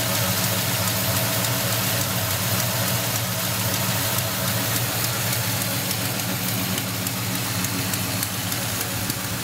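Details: 1972 Monte Carlo V8 at steady idle: fast, uneven ticking puff about three per second over the exhaust note, an exhaust leak.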